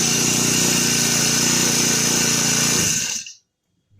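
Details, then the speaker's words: New Turbotech SD T35 4S four-stroke brush cutter, bought two days earlier, that would not start because its ignition coil had shorted. After a new coil was fitted, it holds a steady high-revving buzz for about three seconds and shuts off cleanly, running normally. "जैसा कि आपने देखा इस machine का ignition coil short कर गया था मैं मैंने न्यू इग्निशन कॉइल इस मशीन में लगाया और मशीन स्टार्ट हो गया"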